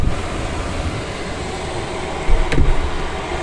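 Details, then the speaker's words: Chinese diesel heater running on Jack Daniels whiskey as fuel: after firing, a steady, even low combustion roar with no stutter or popping, apart from one brief knock; it is burning cleanly. "I can hear it it's burning nicely there we go we're away"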